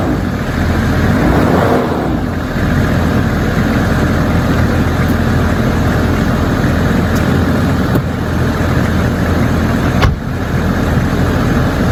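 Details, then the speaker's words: 2002 Range Rover P38 Westminster with the 2.5 BMW diesel, 176,000 miles, recently fitted with a new water pump. It catches quickly and settles into a steady, even, quiet idle with no knocks or misses. Normal diesel start and idle. "So yeah, it sounds nice and smooth, quite quiet."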